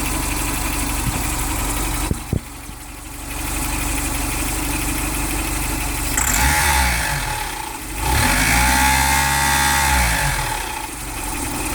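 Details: Mitsubishi Delica, G63B 8-valve injected engine: light quick tapping near the camshaft that rises with revs, persisting after full hydraulic lifter replacement; unexplained top-end knock.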